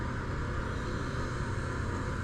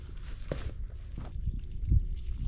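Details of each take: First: Farmhouse well pump, flow throttled so it stops slurping air: constant even hum with no slurping, surging or cutting out; running steadily and healthy. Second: Farmhouse well pump, wellhead, air in water lines causing plumbing to sputter, filter just blown out: low gurgles and irregular sloshing, no steady flow; pump still drawing air, suspected as the issue.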